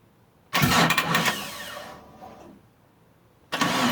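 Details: Mitsubishi Eclipse that sat about 8.5 years, fuel pump now reconnected and priming, with spark, fuel and timing confirmed: two bursts of steady cranking at about three turns a second, never catching. Crank, no start; the owner suspects the crankshaft position sensor and notes the sitting battery seems to be dying.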